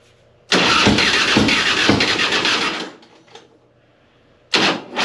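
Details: 2005 Harley-Davidson Softail Heritage Deluxe: the starter grinds over sluggishly, about three beats a second for two seconds, without catching. Corroded positive and negative battery cables starve the starter even with a battery fitted last year. Wire-brushing both cables restored normal cranking and starting.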